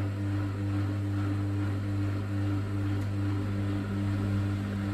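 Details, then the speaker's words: Bosch WFK2801 washing machine that showed error 03, stuck full of water after a 40-degree cotton wash, now set to spin: smooth steady motor hum swelling about two to three times a second as the drum spins; normal spin. "It seems like it's spinning up fine there. Let's see what it does. So I've set it to spin, it's spinning up fine."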